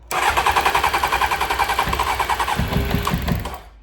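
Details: 1992 Honda Fireblade under restoration, first run after fixing its new fuel pump, during a leak test: the engine catches and burbles in a lumpy, pulsing rhythm for a few seconds, then dies. A fuel leak was found afterward.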